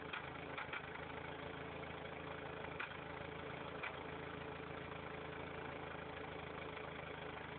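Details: Factory turbo Toyota 4Runner idling; exhaust pulses erratically, pulsing disappears briefly after revving above 3000 rpm then returns; uneven loping exhaust over steady hum, cause not evident; rough idle.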